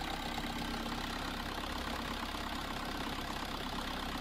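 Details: VW Caddy 2K 1.9 TDI (BJB/BLS) 8v turbo diesel, DSG: steady starter churning about three turns a second with no firing; cranks but won't start, though it starts with the camshaft sensor disconnected; cam timing slipped.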